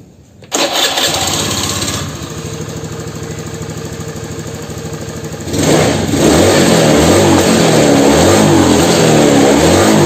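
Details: Honda Beat FI injection scooter, after injector and throttle body cleaning, plugs normal: starts, revs up and flattens at the top with the throttle fully open; top-end power loss.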